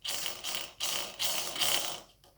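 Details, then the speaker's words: Gel blaster gearbox (SCAR build) spun by hand with spur gear shims moved to the wrong side: bursts of scratchy ratcheting four times per revolution as bevel gear ratchet teeth rub the spur gear face; fix is keeping shims on top. "So you get that grinding sound. What that grinding sound is those ratchet gears on the bevel contacting the face of the spur here. And it happens 4 times the revolution."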